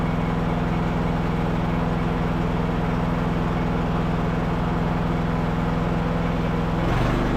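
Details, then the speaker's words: Revived Craftsman LT1000 riding mower, single-cylinder, being driven in gear on its tested battery: smooth, even putter at steady speed, no misses or knocking; running really smooth, though brakes won't hold on a hill. "So we'll probably have to adjust the brakes, but it's running really smooth."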